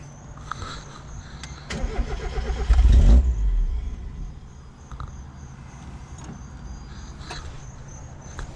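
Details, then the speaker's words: Mazda MX5 Miata cranks about a second and a half with uneven churning but never fires, after installing a new DeatschWerks DW200 fuel pump; the pump was heard running, yet there is still no start. "it's still not helping our problem"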